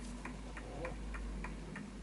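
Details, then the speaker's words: Smiths Enfield oak pendulum mantel clock, back panel latched on: crisp, evenly spaced ticks about three per second, steady beat; healthy clock in beat. "And as you can hear, the clock is ticking quite nicely and everything's solid."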